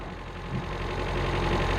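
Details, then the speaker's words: Ford Figo that keeps stalling, scanned with no fault codes: after a total ECM reset, a steady engine drone slowly rising with the idle rpm sitting too high. "के कारण RPM अधिक है। यह तो ज्यादा है।"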